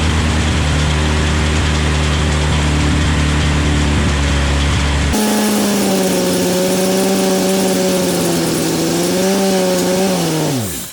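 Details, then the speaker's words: Chevy S10 swapped with a 3.0L turbo boat engine during break-in, revving: an uneven fluttering slap over the engine tone. The belt is flopping because the alternator is crooked on its bracket; owner confirms the alternator is the problem and backs off the revs if the belt flops too much. "yeah it's definitely the alternator that's the problem you can see if you look at the belt in the alternator alternators like this because if it starts to flop around too much i'll just back it down"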